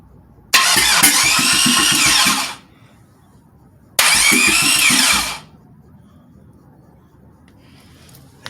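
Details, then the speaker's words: Engine with Comp Cams XPZ cam, new starter, jumped via starter relay wire, on 07 Grand Prix subframe: quick free starter spin with steady even compression pops each try; normal cranking with even compression. "I at least hear the pop, pop, pop, pop, pop, so..."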